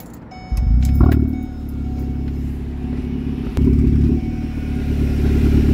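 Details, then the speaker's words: Engine start after the catalytic converter was stolen (cut out between two exhaust pipes while parked at work): sharp roar, then a deep, loud rumbling idle with blips, far louder than normal, from the open exhaust. "And let me kind of give you guys the sound of, normally the car shouldn't be this loud, but let me start it up right now."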